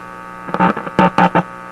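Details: Simplex antique vacuum tube radio on shortwave, hooked up at the antenna wire, front end suspected faulty: steady low mains hum with a few short bursts, no station or test tone coming through; no reception.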